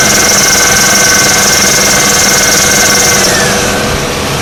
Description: 2002 Oldsmobile Alero Alternator bearing going bad.